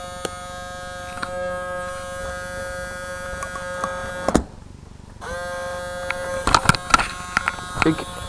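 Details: RCA CMR300 VHS camcorder, recently acquired: steady fixed-pitch electric buzz cuts out briefly and returns; mechanism straining without moving tape, tape won't eject; owner suspects the belt broke off, unconfirmed.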